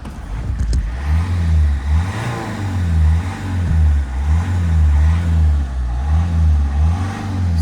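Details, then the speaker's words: Warm petrol engine on a rescued scrap car that was smoky (leaking injector suspected) and usually wouldn't restart 15–20 minutes after warming up. Repeated even throttle blips rise and fall cleanly without stumble; the engine sounds healthy. "So far guys, it's looking really, really good. The engine sounds healthy. It sounds fantastic."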